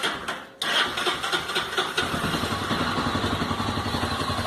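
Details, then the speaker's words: Honda CB 300 motorcycle starting: catches into a fast busy idle with a metallic clatter that later goes away; mechanic called it normal, owner unsure; metallic noise at idle, source unclear. "barulho de ferro de Ferro eu venho no mecânico ele falou cara isso não é nada isso aí é normal da sua moto é normal da sua moto"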